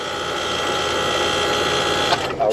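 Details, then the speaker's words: 5-ton HVAC condensing unit being pumped down during an evaporator coil replacement, suction pulled to about 10 psi with no low-pressure switch fitted: the compressor screams loud and high-pitched, then cuts off. Compressor straining at very low suction pressure. "but since we don't have a low suction you hear that compressor screaming a little bit"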